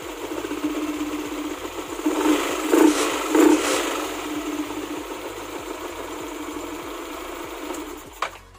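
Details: Yamaha NMAX with bore-up idling smoothly after fixing the loose starter-gear bushing in the CVT, with an even hum and the earlier rattle gone; faint background music.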